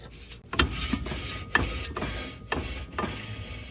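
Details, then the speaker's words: 1994 Toyota 4Runner rear drum brake turned by hand after fitting a new drum and adjusting the shoes: soft, even scrape about once a second, no grinding, correct light shoe drag, easy to turn with one hand. "that's what you're looking for. A little bit of drag, not too much, and it shouldn't be too hard to turn."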